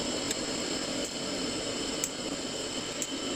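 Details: Glow-worm boiler after checking the gas valve pilot orifice, pump running: steady soft gas rush with faint clicks about once a second; lights first time, burning evenly.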